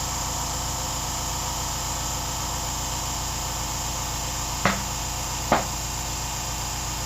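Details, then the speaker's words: 1995 Yamaha XV1100 Virago front tire replacement: a steady rush of air during inflation, broken by two sharp pops as the tire bead seats onto the rim. "that popping that means your be is reset"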